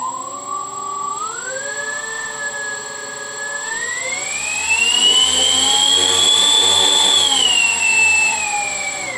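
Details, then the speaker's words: Tritle Douglas DC-6B RC model airliner, electric motors just wired with normal and counter-rotating props: clean motor whine rising and falling with throttle, rough scraping as prop rubs on the stand; sounds fine held up alone. "that sound was it rubbing against the stand so when I held it up by itself it sounded really nice actually"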